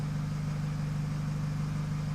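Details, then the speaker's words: 2008 Nissan X-Trail 2.0 diesel, remapped with EGR and DPF delete, idling: strong steady low drone after engine tone change; car misfires at 3000 rpm and turbo not working properly. "i don't i don't know because i was talking over the microphone i don't know if you're gonna be able to tell the difference but it's quite drony noise you know"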